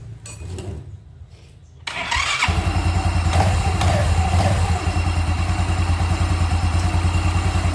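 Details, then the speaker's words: Yamaha Xeon carburetor scooter after replacing damaged starter one-way gear and faulty starter relay: starter spins briefly, engine catches and settles into steady even idle; starts and runs normally. "Oke motornya sudah hidup saya matikan lagi saya tes lagi oke teman-teman Bisa lihat sendiri ini motornya sudah bisa di starter"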